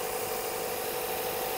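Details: Suzuki Vitara petrol engine with newly fitted Denso AC compressor running: even, steady idle with smooth hum and no misses or surging; engine running properly.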